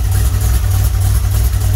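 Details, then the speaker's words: 1981 DeLorean converted to carburetor, after electrical and cooling repairs, A/C compressor disconnected: smooth steady idle around 750 rpm, even beat, no ticks, knocks or stumbles; 6 psi, good oil pressure, healthy. "Oh yeah, I love that sound. Listen to that baby purr."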